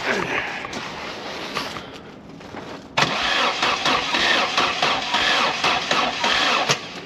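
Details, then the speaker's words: Mk3 Astra 1.4, 102,000 miles, parked since 2018, battery checked charged: starter churns the engine at a steady, uneven pace of about four turns a second and it never catches; gauge not moving, no spark, won't fire. "nor spark gauge isn't moving at all"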